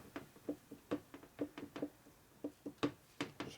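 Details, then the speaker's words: 1983 Harley FLTC shovelhead 80ci stock motor rebuild, crank rotated and pushed side to side with no seals fitted: irregular light knocks, about three or four a second; crankshaft end play present and within limits. "I'm going to rotate the crank a few times and try to push side to side and see if I can get any in play in the crank. Hear the in play? Basically you push on this side and this side back and forth."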